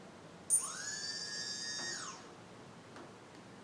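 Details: QAV250 quadcopter with CC3D flight controller on a 3S LiPo, propellers removed, during motor setup: clean high whine rising quickly, holding about 1.5 s, then winding down; brushless motor and ESC spinning up normally.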